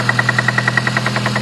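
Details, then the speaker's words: 2006 Honda Civic Si, 122k miles: sharp metallic knocks about ten per second over the engine as it revs; owner suspects spark knock rather than rod knock, source not pinned down. "maybe it's a knock it sounds like spark knock or something possibly spark knock cuz a rod knock is completely different"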